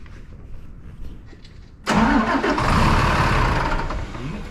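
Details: 8.3 ISC Cummins that sat a day and again wouldn't start; air in the fuel is suspected, with a wet weep hole under the gear pump and fuel on the air compressor: after priming, quiet, then it suddenly fires into a deep steady rumble; the cause is not confirmed.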